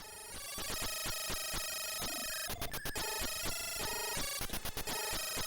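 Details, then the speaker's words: Australian Commodore 64 being diagnosed with a dead test cartridge, running a game: the music has harsh, buzzy, distorted tones and dropouts instead of clean notes, from a faulty SID sound chip. "Yeah, that's a poorly SID chip. That is a poorly SID chip."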